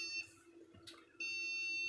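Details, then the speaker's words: £20 second-hand desktop PC rebuild, at power-up: steady high beep cuts out, returns long and unbroken over faint fan hum; a POST beep code, fault unidentified; machine then runs with fans spinning. "now we have a beep code so and something's not happy there"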